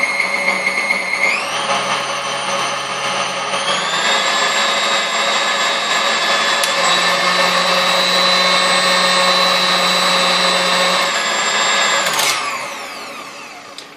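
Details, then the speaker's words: KitchenAid KSM150 mixer that fell off a counter and stopped working, after full disassembly, powder coat and reassembly with some new parts: smooth even motor whine stepping up in pitch with speed, no knocking or grinding; normal running. "you can hear it you know it runs good"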